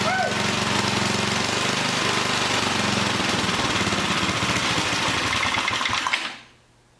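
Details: 100-year-old Model T spark plug fitted to an old small single-cylinder engine, restarted: pops along at a steady, fairly quick rate for about six seconds, then shuts off cleanly; running healthy.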